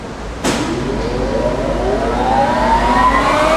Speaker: leftand motor right hand motor and and the work carrier they uh Incorporated a little flapper for ejecting their part and that's what the little noises little ticking